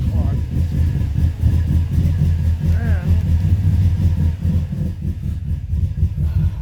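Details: 2005 Subaru Forester XT with a low, lumpy idle and uneven pulsing beats. It is missing, and a coil was found out. Owner thinks it is running rich and says it won't go when the gas is hit. Rough idle, cause unconfirmed.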